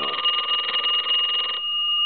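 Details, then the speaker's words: Repaired telephone (box chest deco tel) on final checkout, extra rings since ringing was the problem: bright double-bell ring, fast even clatter about one and a half seconds, clean stop; ringer working properly. "i'm going to give it a couple more rings since that's what we were having a problem with"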